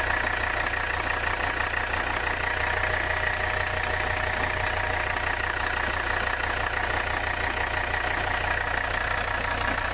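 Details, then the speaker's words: Abandoned 1985 Mercedes 300CD diesel, hot, idling: rough clatter with a thin high squeak from the front of the engine, heavy blow-by and changed tone; squeak cause not yet found. "we got a lot of blow by now tone of the engine has changed [Applause] she's squeaking up at the front i don't like"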